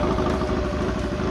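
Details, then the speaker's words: 1956 Triumph desert sled with a rebuilt late-1972 Triumph 650 head, new valves and guides, after a push rod problem: started first kick on a rainy day and pumping oil. A brief, steady twin idle with faint valve ticking; quietest it has run. "Come on. Make sure she's pumping oil. We are pumping oil. We are good to go. Tell you what, this bike has never run this quiet."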